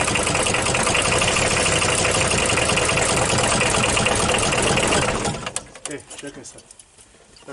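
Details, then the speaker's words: Audi diesel restarted after at least 12 years standing, air bled from fuel lines, timing advanced, rotten leaking fuel pipe: ragged clatter runs steadily five seconds, then falters and dies in a few coughs; rough running, cause unclear. "Did you see how the engine works? He fired like a bullet ;)"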